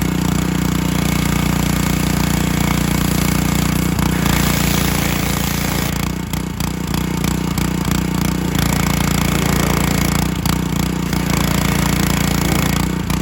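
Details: John Deere HR-2700GH pressure washer, Honda GC190 engine with 2700 PSI pump, revived after a bad spark plug and contaminated oil: single-cylinder engine holds a steady, even drone at working speed with no misses or knocks; normal running.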